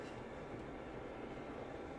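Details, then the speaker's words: BenQ W1080ST DLP projector, made November 2013, with smoke buildup and a complaint of colour flicker after running, powered on before cleaning: a soft, steady airy whoosh with no ticking or rubbing; the lamp lights and the fan sounds good. "I can definitely see that the light is on in there the lamp is running and the fan sounds good"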